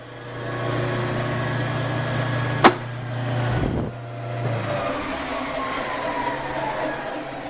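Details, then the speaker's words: Refurbished one-owner BIRO 3334 commercial meat and bone band saw run through a 3-phase converter; blade spinning, very quiet with a lot of power, steady even low hum, then a click and smooth wind-down to quiet; normal running and spin-down. "And we'll go ahead and turn the saw on. There's your blade spinning there. Very quiet, a lot of power."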